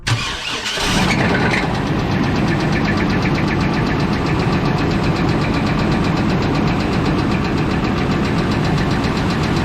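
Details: 1996 Chevy Blazer, first start after purchase: engine catches and settles into idle with a steady, rapid knock under the exhaust note; owner unsure whether it is bottom end or top end, possibly rod knock.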